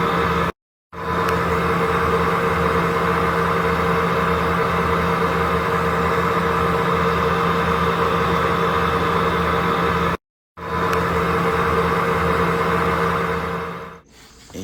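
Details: Bush (UK) dryer whining during spin: a steady high whine over an even low drone, pitch constant; a motor fault was suggested at first, and later replies say the tub bearings have failed.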